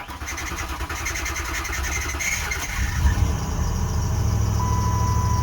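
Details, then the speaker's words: Lincoln, 105,000 miles, started after sitting about 9 years, with new brake lines, power steering line repaired, still needing fuel lines and filter; starter cranks a few seconds, engine catches and settles into a steady even idle; normal start. "And there it is. It's living."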